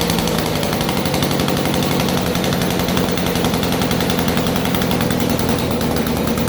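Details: 1947 Chicago-made two-stroke Mall 6 ft chainsaw, barn find unrun for over 40 years, first start on a cold day; loud, fast, even two-stroke crackle with steady firing, no misses or surging; running cleanly.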